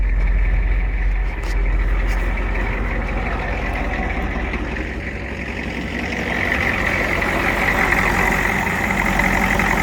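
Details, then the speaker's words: 1986 Ford F350 6.9 IDI diesel idling with steady, even clatter and no misses after a repair. Shorted, melted glow plug harness wiring was worked around by hotwiring the fuel shutoff solenoid and adding a manual glow plug button. "Listen to that sweet girl purr. Love me some IDI diesel."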